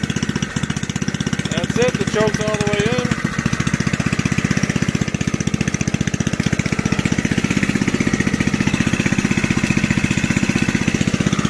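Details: Old junkyard Briggs engine from reel mower, cold start, bench-mounted, no throttle control: fires fast and steady with light rattling clatter near starter side, owner says coming from the recoil; otherwise sounds good.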